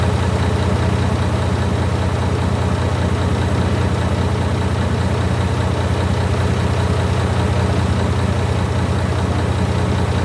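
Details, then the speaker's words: Barn-find Leyland Atlantean double-decker bus diesel, one of two stored in a barn (one since the 1990s), first run after revival. A deep, steady low rumble with an even beat and no knocks or misses; normal diesel idle. "Yeah, sounds like it's got a bit of juice there. It does, sounds like it's really good rock and roll."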